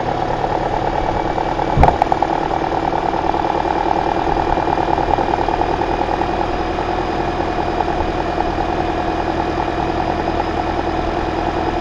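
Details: 2009 Toyota Corolla after alternator replacement and belt tensioning, checking whether the earlier hideous noise is gone: steady, even idle hum with a faint belt whir and one brief clunk early, no squeal or grinding; runs healthy.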